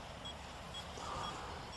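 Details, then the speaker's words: OKM Bionic X4 detector during calibration: short high beeps about twice a second over a steady hiss, warning that the calibration number is too high (255); at 81 it is too low and silent. "When it is very high, then you can hear the beeping. This is a warning that it is too high."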